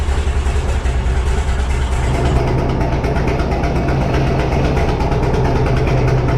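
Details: 1957 Autocar diesel truck first start after 15 years unused, warming up; heavy knocking at steady low idle with slightly uneven beat, running a bit rough, owner suspects dirty injectors, fresh fuel probably helped.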